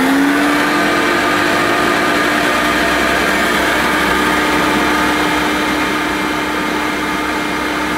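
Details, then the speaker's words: Hoover U1222 Turbopower Plus upright vacuum, first switch-on after purchase: high, steady squeal rising briefly at start-up, then holding over the motor's whir. Cause possibly a worn belt or dragging brush roll. "right it sounded okay to start with but then it started making a bit of a squealing noise didn't it"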